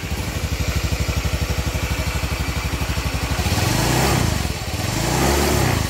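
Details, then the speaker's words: Honda Vario 110 FI after replacing crankshaft bearings (6007, 6205), piston kit OS 25, crank seals and full CVT set: even steady idle with clean throttle blips, no knocking; front engine now smooth, though slight scraping remains from CVT area, possibly pulley. "tapi untuk bagian mesin depan sudah halus"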